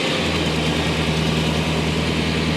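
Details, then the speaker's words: OBS truck that ran badly, after tightening finger-tight spark plugs and clearing exhaust leaks: smooth, even V8 idle with a steady low rumble and no misses or knocks; sounds healthy. "we could probably idle this down now right oh listen to that dude that sounds awesome"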